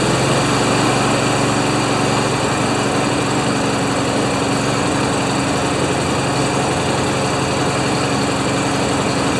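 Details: Honda GCV190 engine on a neglected Craftsman mower that came in as a no-start. Small single-cylinder engine running steady and fast at a constant buzzing pitch with no stumbling; it starts and runs fine, normal running.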